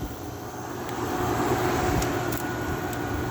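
Steady compressor drone with the fan whooshing evenly over it, no rattling or buzzing; unit running normally.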